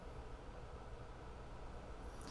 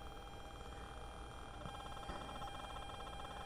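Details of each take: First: DIY battery-powered Bluetooth audio player after adding an isolated DC-DC converter and USB capacitor for ground-loop isolation: only a faint, steady low rumble and hiss, with no ground-loop buzz or hum. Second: so I'm sure you can hear that um that buzzing in the background that's from the ground Loop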